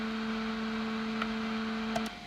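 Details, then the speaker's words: Constant low buzz with a higher whine from a NUX Cerberus pedal at high gain with the cab IR on, powered on a daisy chain. Display interference noise, later reduced with a Joyo ZGP power isolator. "okay so let's just recap the problem is just put turn on the cab ir and there's our noise okay"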